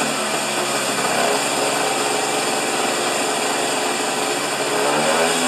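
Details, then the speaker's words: Husqvarna snow thrower small engine with a faulty governor, racing at about three times proper rpm. Shrill, steady, high-pitched scream with no dips; overspeed from the governor. "all right we got lift off but we are running it about three times the proper RPM let's just turn it on and if I manually govern it I can get it to a about the right speed"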